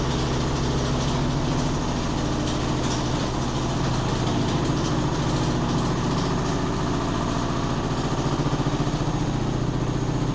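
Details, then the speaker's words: Neighbour's Midea HealthGuard washer, heard at night during spin: heavy low rumble with fast uneven thumping, three or four a second, building as spin accelerates; second time it unbalanced, noise compared to own washer with damaged heating element. Loud vibration, cause unconfirmed. "Tá pior que a minha quando com a resistência estragada, né? A minha não tem isso tudo. Mas o barulho é semelhante. Mas ela não sai do lugar."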